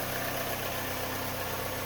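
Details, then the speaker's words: 2007 Mini Cooper R56, first-generation direct injection, idling after new spark plugs: steady, even idle with a gruff, diesel-like clatter and no misses or knocks; consistent cold or hot, normal for this generation. "apparently these things are supposed to sound like diesel-esque they are first generation direct injection for bmw or mini so they are quite loud and that the sound does stay consistent whether it's cold or hot"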